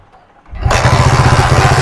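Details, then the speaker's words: Hero Splendor iSmart 110 after fixing a no-start charging/current wiring problem and refitting the plug: quiet, then the single catches at once and settles into an even, quick thumping; normal clean start. "दोस्तो bike हमारा start हो गया देखिए"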